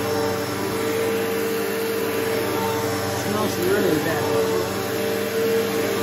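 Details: Bissell PowerForce bagless 6579-2 vacuum, left out in rain with water drained out: steady even motor hum with constant whine, no surging, rattling or scraping; normal running.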